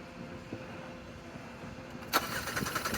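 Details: 2022 Kia Seltos crank no start: the starter spins the engine at a steady, uneven churn for about a second, but it never catches; fuel is confirmed present, so a fuel issue is doubted.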